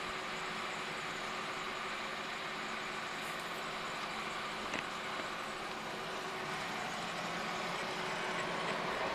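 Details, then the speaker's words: 1943 Hendey 16x30 lathe apron repair: a steady scraping cut with a faint tick about three times a second as the boring tool passes through galled grooves in the bearing bore, with ridges between the grooves. "as you can hear the uh boring tool is in one of the grooves that was Gall into that bearing now we're getting a ridge between a couple of the grooves and then I think we go back into another we're back into another one of the grooves"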